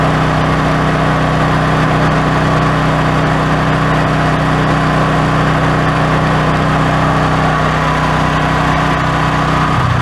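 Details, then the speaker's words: Brand-new Duromax 13000 generator that backfired out of the box, which ruined the electronic choke stepper motor. Loud, uneven rumble that hunts and stumbles instead of holding idle: backfiring and rough idle, with a faulty choke. "sure doesn't want to idle maybe if it gets warm let's let it run for a [Applause] while"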